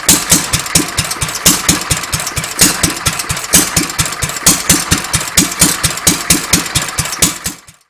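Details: Petter A1 single-cylinder stationary engine with Wipac magneto, just timed without flywheel timing marks, running without exhaust fitted: steady thump about once a second, even and crisp with no misses, then winding down; runs quite well.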